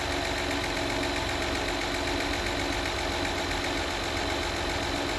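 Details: 2016 Acura RDX after spark plug change and timing belt job: steady light ticking over a busy idle, about four a second, quickening with revs; source not pinned down.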